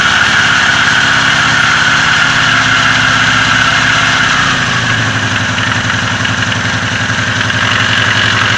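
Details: Oka car engine with valve clearances within spec; uneven low thumping about three per second at idle, growing worse over time and disappearing when revs rise; engine knock at idle, cause not found.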